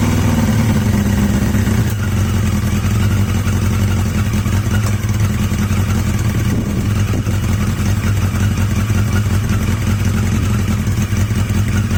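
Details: Yamaha XJ750 four-cylinder motorcycle after swapping in XJ650 carbs: steady, smooth idle, no misses, partly buried in wind; best idle yet, sounds healthy.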